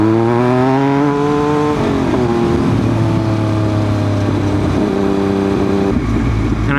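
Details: 2000 Triumph Daytona 955i with Power Commander III and an incorrect fuel map, riding in third gear at low rpm: steady pull that stumbles and sputters as throttle is opened; bike also dies at idle; cause being traced.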